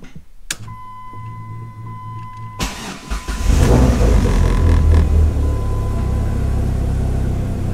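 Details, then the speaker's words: Dodge Neon SRT4 starting after fuel pump fix (fuel lines and connector reconnected, a few primes): brief hum, then the engine catches at once, flares and settles into a steady, even idle; starts and runs fine. "okay so it works I want to be happy but I've been here three other times so I am happy that it works"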